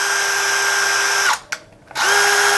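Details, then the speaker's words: Electric drill in normal rotary (non-hammer) mode, the mode for drilling wood, metal or screws. A smooth, steady motor whine at constant pitch with a brief stop and restart and no hammering thuds; normal rotation. "Jadi kalau untuk bor seperti ini, skrup seperti ini, ya itu biasa. Nah, bunyinya seperti ini, biasa ya."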